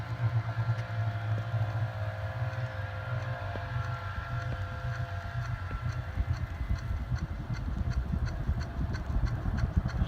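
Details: Hunter C-18 ceiling fan after removing the light kit and adding an on/off switch: a steady low hum with a soft, even whoosh and faint ticks, no wobble or rattle. Normal running, quieter than before.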